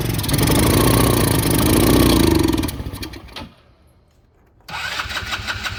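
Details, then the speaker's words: Neglected 2010 Polaris Ranger RZR 170, sat for years, with no fuel coming out of the carburetor: it catches on sprayed carb cleaner, runs roughly for a few seconds, dies, then fires again, starving for fuel. Airbox off; smoke smells of old fuel. "I'm going check if there's fuel coming out of the carburetor just nothing I'm going to spray a little bit of carb cleaner on it"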